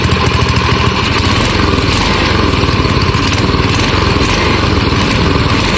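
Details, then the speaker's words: Old AMF snowblower single-cylinder engine revived after sitting over 20 years, running after being started with starting fluid: busy, steady chatter with an even beat, no misses or surging; dialed in and running smoothly. "We got her dialed in here. She's running pretty good. All right. Well, it runs good."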